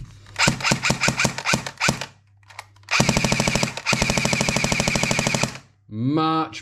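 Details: JG Sig 552 airsoft AEG on a 7.4 V LiPo, after shimming the gearbox and a full service (it screeched badly new out of the box): crisp single shots, then even full-auto bursts around fifteen cycles a second, a healthy gearbox.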